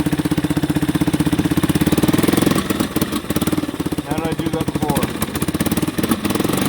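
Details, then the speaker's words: 1989 Yamaha Big Bear 350 ATV, sat over ten years: single cylinder chugs unevenly and stumbles, then revs out more freely when the air intake is partly covered by hand. Owner suspects too much air, a carburetor fault; unconfirmed. "Revs out a lot more. So that tells me she's getting way too much air. That comes right back to the carburetor."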